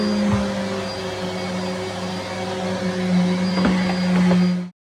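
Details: Henry HVR200 vacuum (from 2001) running after motor replacement, new bag and filter fitted: steady, even motor hum at constant pitch, no rattles or grinding, then a clean cut-off. Normal running.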